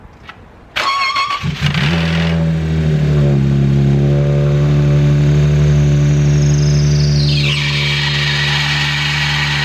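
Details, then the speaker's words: Car's first start after a DIY water pump replacement, spilled coolant smoking heavily: engine fires and a loud, shrill screech rides over the idle from the engine bay, pitch dropping after a few seconds. "the smoke was absolutely insane coming out of the engine and two there was loud screeching noise yelling in my ear coming from the engine bay"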